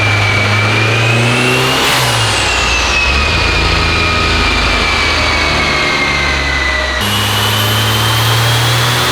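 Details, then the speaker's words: Rear-wheel-drive Honda Civic, fully built engine, new turbo, on dyno: heavy pull with rising turbo whistle but revs climb slowly and sound choked; mechanical cam timing suspected off, cams possibly needing swapping. "yeah it felt real it felt really choked felt really choked up i really it might be it's red all the timing's off cam timing's off yeah we figured that was going to happen"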